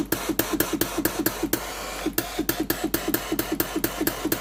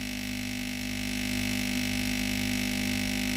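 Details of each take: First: Philips GC9682 steam iron after a new water pump was fitted (pump and solenoid valve both faulty, steam wouldn't come out): rapid regular pump clicking, pausing and resuming with steam hiss; the pump now delivers normally. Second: Philips GC9682 steam iron with no steam output: steady buzzing pump hum with a faint rapid pulse while no water is drawn from the tank; the failed water pump was replaced along with the water valve.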